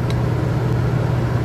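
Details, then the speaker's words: Champion 4500 inverter dual-fuel generator on propane powering 30-amp RV with AC on high: steady even low hum, no surging or hunting, load meter at two of five green marks; normal running under load. "cool see what happens sounds good it's still in two green marks five all together"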